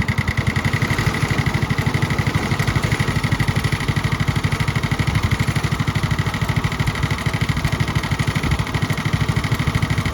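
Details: Restored Tony Kart (Kosmic) go-kart small engine, first start after fuel on and choke, idle turned up: steady even putter at slightly raised idle, no misses or knocks; healthy idle.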